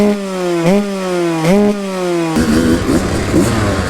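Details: New two-stroke supermoto build starting up before a track day, not yet warmed up: crisp blips with pitch rising sharply and dropping back cleanly between throttle stabs, then a ringing idle; normal start and revving.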